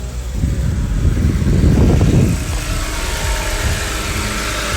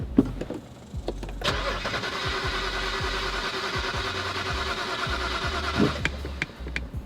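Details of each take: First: BMW E91 325xi wagon that sat three years, first start after replacing a box in the back: engine catches with a brief surge, then settles to a steady, even idle with no knocks or misses; sounds healthy, slight burnt-oil smell. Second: BMW E91 325xi wagon that sat three years, fuel pump control module (EKP) just replaced: steady starter churn about four seconds with even pulses, never catches; crank-no-start, cause not found, battery and trunk fuses to be checked next.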